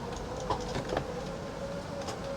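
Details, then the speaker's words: Coachmen Sportscoach 380MBS Class A diesel pusher (Freightliner XC), second retract attempt: steady electric slide-out motor drone labouring under load, dragging without speeding up; binding over a hump from the flipper board, runs fine once over it. "that's just not good out is fine once it gets over that hump right there seems to move okay"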